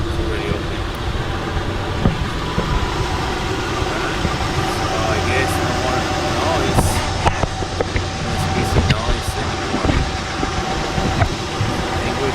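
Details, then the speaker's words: Car after WD-40 sprayed on the squeaky alternator pulley: engine idles with a steady low hum and no chirp or squeal from the belt; noise fixed. "Okay, so I'm gonna start the car, run the car, and see if there's any noise coming from the engine again, from the belt."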